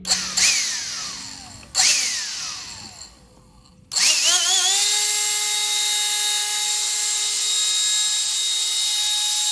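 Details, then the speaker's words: Black+Decker CHV1410L 16V Dustbuster after teardown and cleaning: two quick spin-ups and coast-downs, then a clean, steady high whine. The earlier rumble and burning smell are gone, so the motor now runs normally. "I am not smelling the smoke anymore. I'm not smelling anything burning. So I'm not really sure what exactly was going on with this thing."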